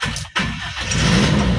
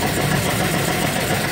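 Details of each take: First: Toyota Kijang Super G after a half engine teardown and rebuild, coolant and oil refilled: brief crank, catches at once and settles into steady idle, no longer limping as before; normal start. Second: Toyota Kijang Super G engine at idle before half engine teardown, leakage in cylinders 1 and 2 means low compression: uneven, lumpy idle with stumbling beat, shaking like an earthquake; rough misfiring idle that a tune-up cannot fix.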